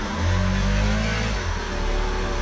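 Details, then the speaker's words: 1988 Pontiac Fiero 2.5, driving: loud raspy exhaust with deep drone rising and falling with revs, whiny at high revs and louder than the day before; suspected exhaust leak. "at high revs it's really whiny so that's what leads me to believe I might have an exhaust leak"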